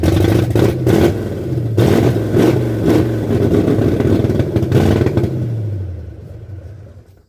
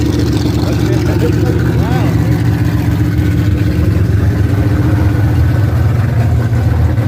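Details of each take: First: 1978 Ford F100 with new cam, first start attempt: even starter cranking, no firing, then winds down; no fuel because the fuel lines were connected the wrong way. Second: Another hot rodder's V8 car with open headers, running: deep loud lumpy rumble, steady without knocks or ticks; sounds healthy.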